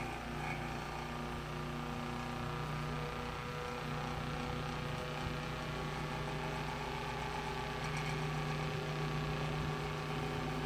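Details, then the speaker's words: Fan likely needing thorough cleaning, running a little faster now but still wanting to slow down; steady motor hum, fixed low tone, faint rattle; owner suspects something binding up inside. "well it's running a little faster now I mean still wants to slow down a bit so something is binding up in this"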